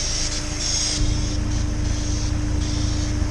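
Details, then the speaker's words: Honda S2000 F22C, over 130K miles, after timing chain service and stock intake box reinstalled: smooth, even idle with a steady low drone and no whistles or rattles; quiet, normal engine. "yeah it sounds real like engine it's quiet"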